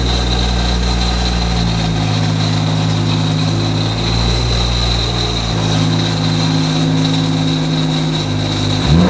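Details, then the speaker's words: Single-turbo BMW E90 335i N54, about 700 hp, 145,000 miles, turbo failed with a loose turbine wheel having lots of play: loud idle with a rough metallic rattle shifting with revs, resembling rod-bearing knock. "there's something very loose turbine wheel it's just like it has a lot of play probably very stupid to do but we're gonna turn the car on just so you guys can hear what it sounds like in case it ever happens to you"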